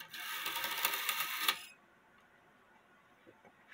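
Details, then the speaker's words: Circa-1880 Alexander Fleig cuckoo clock, movement out of the case for testing: a fast rattling strike run of about 1.5 seconds that stops short and skips a count. Possible causes include a burr at the ends of the count slots. "it did [Applause] skip a a number and there could be a couple reasons why I skipped a number"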